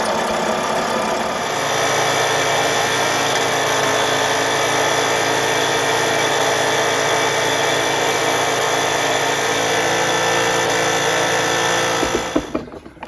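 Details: Cyclo (moped) with rebuilt engine on the test bench during break-in: flat, unchanging buzz held ten seconds with no climb in pitch; exhaust blocked, engine cannot rev.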